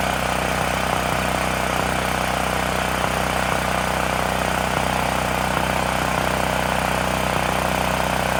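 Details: Extreme Contractor Series 6,500 W (8,500 W surge) gas generator bought almost 20 years ago, revived after long storage; after tightening a bolt that cut vibration, steady even drone with a soft beat about three per second, no misses or surges. Normal running.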